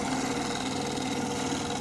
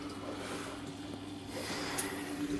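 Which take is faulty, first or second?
first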